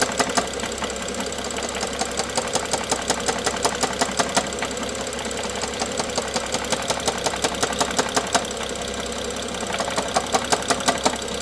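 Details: BMW F07 with N55 engine at steady idle: sharp, fairly regular ticking knock about three times a second over the idle; engine knock.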